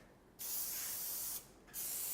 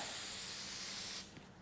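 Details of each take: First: so you should be able to hear that real loud hissing sound from the gun Second: TensorGrip adhesive spray gun held about 100 mm from the surface: one unbroken hiss over a second then cut off; trigger held continuously instead of stop-start, leaving a thicker glue layer at the end of each run.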